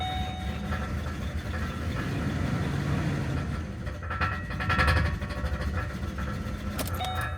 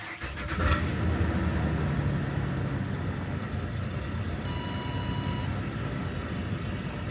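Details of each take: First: 2008 Ford Explorer 4.0L V6 idling with no throttle input: idle swells and sags on its own and won't settle, and the engine also sputters and stalls; damaged MAF sensor wiring harness, fixed by replacing the plug harness, MAF sensor and air filter. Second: 2008 Ford Explorer 4.0L V6 idling after replacing the damaged MAF plug harness, MAF sensor and air filter, which cured stalling and rough running: a soft, even idle held slightly high with no hunting, and a chime in the background.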